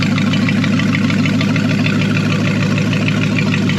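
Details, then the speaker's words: Mopar 273 small-block V8, free engine and trans on an engine run stand, first run after being pulled from a car: a steady, even idle burble with no misses, ticks or knocks, hitting on all eight, a healthy runner. "we've got a runner and she sounds like she's hitting on eight"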